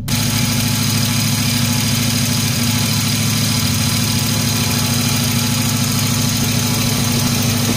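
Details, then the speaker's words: Car idling at normal operating temperature: loud steady rush of the electric cooling fan switching on, then off, no grinding or wobble; the fan works correctly. "y vemos que se activó vamos a revisar ahora que se desactive aquí ya se desactivó el ventilador entonces este ventilador está funcionando bien"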